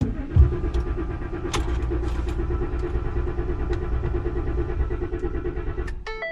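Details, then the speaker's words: 2014 Ford F-150 Raptor, battery known good, no check engine light: starter cranks the engine in a steady rhythmic churn for several seconds but it never catches; crank-no-start traced to a blown fuel pump fuse 27. "It cranks, but it won't start. And I know the battery's good."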